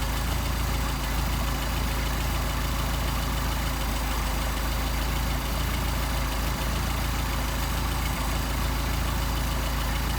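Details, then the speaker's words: Mercedes 190SL with Solex carburetors, after adjusting idle mixture screw in until stumble and back out: steady even idle just above 600 rpm, smooth low beat, no stumble or hunting; setting depends on temperature, humidity, air density. "sounds good there it's not in the same position we started it's going to depend on atmospheric conditions temperature uh humidity air density"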